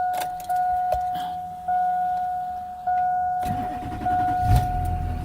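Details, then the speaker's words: LB7 Duramax diesel after fuel filter head delete, still cold, third start: steady starter whir pulsing about once a second for three seconds before it catches; slow, lazy cold crank blamed on the battery. "battery didn't crank it over quite as quick, and it is like the third time I've started it. So if it turned over a little bit quicker, it would obviously fire up a bit quicker."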